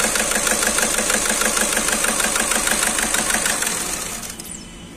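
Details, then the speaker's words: Skoda Rapid at idle, malfunction light on, engine shaking: uneven lumpy beat around three per second that dies as engine is switched off; scan shows cylinder 2 injector circuit fault misfire. "तना हिल रहा है इसका तो इसका engine misfire हो रही है और इंजेक्टर चेक करेंगे"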